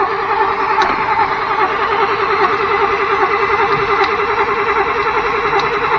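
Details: 1992 Chevrolet truck pulled from a field after sitting 10-15 years, cranking on a fresh battery with charger help and starter fluid sprayed in: starter churns steadily, about two to three turns per second, never catches; cranks but won't start.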